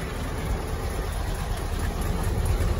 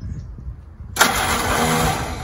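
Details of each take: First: Willys L134 flathead Jeep after a head gasket replacement and a 4–5 mile drive: low, steady idle thump at roughly three beats per second, even and smooth with no knocking; idling healthy. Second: Willys L134 flathead Jeep engine, first start after a head gasket replacement (coolant had come out of the exhaust), taken outside expecting antifreeze smoke: weak, uneven cranking, then a sudden catch into a rough, busy run. Slow to fire; suspected not getting gas yet.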